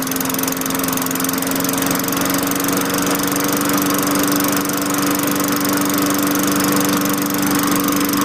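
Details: 2003 Craftsman 22" mulcher, Tecumseh 4.5HP engine 143.034502, running after fitting a replacement LEV 100-115 carburetor: steady, even hum at governed speed with no hunting or surging. Normal running.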